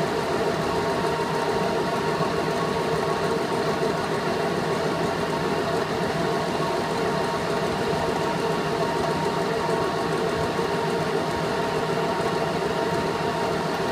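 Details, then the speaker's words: VenTech IF8 inline duct fan at full rated speed after about 3 weeks of running: rough, gritty drone over the steady airflow hum, not present when new; bearings suspected failing. "so anyway it didn't sound like that when I first installed it sounds like the bearings are going what we're only about 3 weeks of life on it and I'm already going to have to throw it away really poor quality Equipment here"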